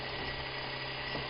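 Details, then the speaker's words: Modified off-the-shelf scooter motor, 100 turns of 20-gauge wire, with the brush back plate rotated for reverse rotation: steady low hum and constant whir, turning slowly and evenly; in this direction the battery bank would not charge. "but I'm trying to get that battery up and it just wouldn't charge Oh this bank of batteries no matter what I did and you can hear how slow it is"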